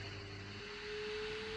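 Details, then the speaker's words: Large washing machine on quick spin after drain pump repair: smooth even motor hum rising as the drum spins up, no grinding or knocking; normal after repair. "And you see the machine spinning up nicely and there's no noise."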